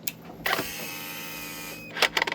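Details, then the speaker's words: 2011 Volvo C70 in limp mode (reduced performance), about 70,000 miles; on reconnecting the battery negative, the electronic throttle body gives a sharp clack, about a second of electric whirring, then quick clicks as it sweeps open and closed. "You can hear it actuate back and forth. And so, I know it's moving. It's got signal to it."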